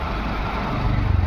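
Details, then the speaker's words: VW Vento petrol engine after the shorted ECM, which could not drive cylinder 1 injector, was replaced with a second-hand unit: steady, even idle with no stumble or shake. Running as original; misfire resolved; normal idle. "कोई problem नहीं है। जैसा रहना चाहिए original वैसा है।"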